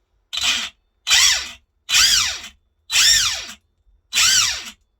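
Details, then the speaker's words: Arrma Infraction 3S brushless RC car on the bench, forward then reverse throttle bursts: loud high gear whine and rattle swooping in pitch. Loud gear whine under power; owner suspects an overtight rear diff, or possibly the pinion or spur gear. "See what I mean? That's forward, it's a racket, isn't it? That's reverse."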